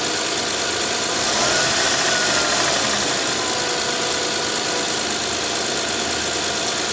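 Smooth, even idle with a steady hiss and no knocking, misses or ticking; the V6 is running healthy.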